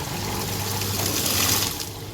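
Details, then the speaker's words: Beko washing machine that would not drain and threw an error, tested on spin with a little water: strong rushing water over low pump hum, no gurgle; draining normally. "ดึงแล้วเห็นมั้ยมันดึงแล้วนะฮะน้ำแรงเลยนะฮะน้ำมันเดนน้ำทิ้งแล้วเห็นมั้ฮะ"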